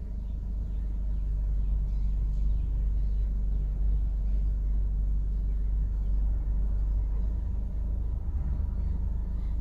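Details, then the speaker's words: Ford DPS6 dual-clutch transmission after clutch replacement, idle touch-point adaptation: a steady low rumbling idle with no knocks or surges, holding an even speed while the clutches touch in. Normal. "it's stabilizing the engine rpm and then it's going to do the idle touch points so it does a wide open throttle touch points and then it'll do idle touch points"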